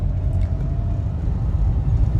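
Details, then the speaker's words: 2011 Mahindra Verito on the road after engine mount, front shock and a used replacement spring were fitted: only steady low road rumble, no rattles or clunks; suspension now normal. "Sound പക്ക നോർമലാണ്. വേറെ extra കടപടം സൗണ്ടോ കാര്യങ്ങളോ ഒന്നുമില്ല."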